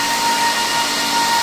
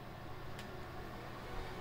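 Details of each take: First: HP ProLiant rack server, possibly a G7 model, with the amber light flashing for failing fan number five: a constant high-pitched whine rides over steady fan rush, from a failing cooling fan. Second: HP ProLiant server (owner guesses DL360 G7) after fan replacement, powering on from standby: fans whoosh up loud, then settle to a steady even whir with a faint tone; normal boot ramp, quietest once the OS loads, fans healthy.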